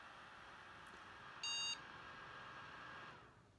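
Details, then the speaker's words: Asus Zenith Extreme Threadripper build with four RAM DIMMs in slots B1, A1, C1, D1 per manual: PC starts giving a single short POST beep over fan hiss instead of the usual three-beep memory error code. "we got a single boot code that time which is interesting one single beep code so instead of three of you guys I'm getting only one"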